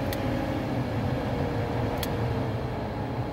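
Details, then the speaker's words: 2012 Toyota Prius V HVAC blower motor running with fan on, heard behind the dashboard: low uneven rumble that changes with fan speed; likely off balance or a worn bearing, motor later replaced. "you hear that so it sounds like something's off balance or maybe a bearing's gone bad something like that"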